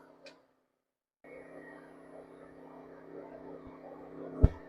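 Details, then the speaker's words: WEN 2000W inverter generator after draining old gas and cleaning the carburetor, eco mode carrying a load of about 700–1436 watts, 60 Hz: quiet steady hum, even pitch, no hunting, barely bogs when load switched on; running well. "See, on standard mode it's going to run faster, but if it could handle this thing on eco mode, generator's doing good. Yeah, it didn't seem to bog down much at all when I turned that on."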